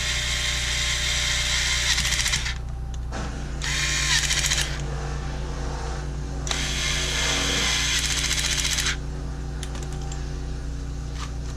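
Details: Bosch Ixo cordless screwdriver, one of several bought non-working, during repair: bursts of high, steady motor whir starting and stopping cleanly with no grinding or rattle; running normally.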